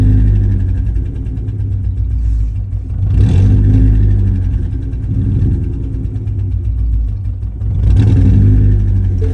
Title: 2015 ford mustang ecoboost misfire